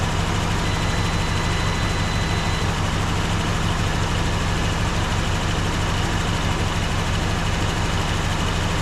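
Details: 1954 Dodge Coronet Suburban wagon's Poly V8, awakened after 42 years in a garage, warmed up and not leaking coolant; steady, even low rumble with a smooth regular beat and no ticking or knocking; healthy normal idle.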